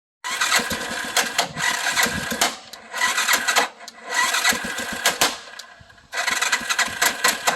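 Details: Bigbear that is hard to start: repeated cranking bursts with a harsh metallic tocking clatter, engine struggling and not settling into a run.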